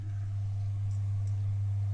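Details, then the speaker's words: 2001 Elektro Automatik EA-PS 7016 16V 20A 320W power supply drawing about 40W: loud steady heavy transformer hum; E-core screws form a shorted turn making the transformer work hard and warm. "Transformer and you can hear it's really working hard"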